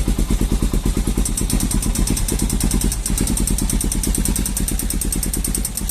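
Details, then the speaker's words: Falcon motorcycle single-cylinder on a cold morning start, quick even clatter near three per second fading as it warms; mechanic says it is the decompression valve, normal cold-start noise, not a loose valve. "quando você ligar a falta de manhã ou pela primeira vez no dia ou quando tá com o motor frio e quando você aciona ela ela faz um barulho estranho"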